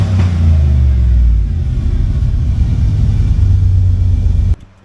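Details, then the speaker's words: 1985 Monte Carlo with single-turbo 4.8 V8 and 4L80E, hot engine restarted after a fix done from underneath: deep, steady rumble, quieter than the loud earlier sound, no ticking or puffing from the headers before shutoff; running healthy. "Oh yeah, that sounds completely different. Oh, that sounds a lot better. Like before, it was loud. Now it's toned down, but it sounds better."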